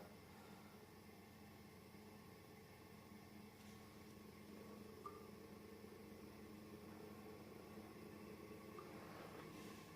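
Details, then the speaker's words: Quiet, steady low hum with an even whir building slightly from an industrial 220-235 V AC fan on a variac at about US wall-socket voltage, a little loud, with no rubbing or rattle; it runs normally. "we're now at the equal us AC wall socket voltage the fan is a little bit loud but of course the direction in which the air is blowing is in that direction so I'm not getting cooled"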